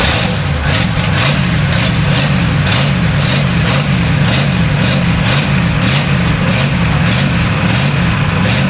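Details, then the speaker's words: Barn-find Pontiac V8 revived after about 20 years sitting: steady idle with a fast light ticking over the low engine note; owner thinks valve guides were sticking until the top end got oiled, then it smoothed out. Valve train noise. "Little bit of noise. I don't I don't know. I think our valve guides were sticking."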